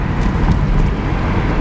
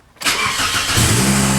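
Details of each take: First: 2003 Toyota Corolla driving after a new exhaust system install: deep, smooth exhaust drone with road rumble, no rasp or rattle, way quieter than before; exhaust now sounds normal. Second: 2003 Toyota Corolla after new exhaust system and new bolts: cranks, catches, idles with a faint puffing tick; exhaust still leaking, less than before, suspected at the front catalytic converter rather than the exhaust donut.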